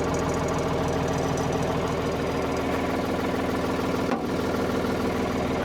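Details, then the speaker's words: Ford 55 backhoe diesel, engine rebuilt, converted into a custom loader, at first startup since the backhoe was removed: steady, even idle with a regular firing beat and no knocks or misses. Normal, healthy diesel idle. "All right, listen to her. She sounds so good."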